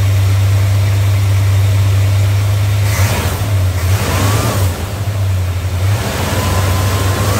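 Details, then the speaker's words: Old Plymouth held near 2000 rpm after air cleaner refit: uneven, stumbling pulse through the revs; persistent misfire skip, wiggling shows the problem is in that plug, possibly needing cleaning. "skip is still there at two grand oh brother oh well we'll figure this out some other time"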